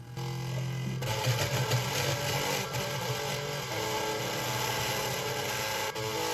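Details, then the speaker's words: Marshall MG30CFX guitar amplifier with gain and master at full: very low, distorted output, fuzzy and buzzy with a steady rasp and no clean tone; damaged speaker voice coil, later replaced. "The problem with this guitar amplifier is the sound is very low and a very distorted sound, as you can hear in this video."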